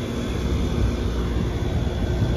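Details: York 460-volt heat pump condenser after fuses replaced: steady low, even hum with no knocks, rattles or surging, drawing about 4–5 amps per leg. Normal running.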